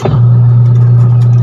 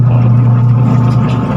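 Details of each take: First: Washing machine that hummed but would not spin, after replacing the capacitor (timer was fine): a steady, even low hum with no wavering or knocking as the motor spins normally. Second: Washing machine with the timer turned on: loud, steady low hum but the tub won't turn unless pushed by hand.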